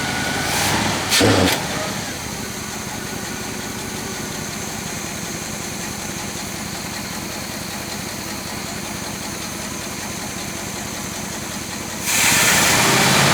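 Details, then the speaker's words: 1966 Chevrolet Biscayne with numbers-matching 396 big block, abandoned car: steady idle with an uneven, loping beat that keeps stumbling, one cylinder partly dead, no smoke, engine loading up. Cause suspected, not confirmed. "not quite the way it's supposed to sound but with that dead cylinder a little bit dead in one cylinder no smoke"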